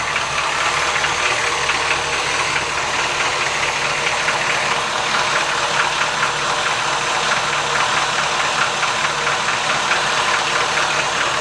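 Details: 1973 Cadillac V8 idling cold with a hollow, uneven knocking through dense mechanical clatter: piston slap when cold, which disappears once warmed up; engine otherwise runs like new when warm.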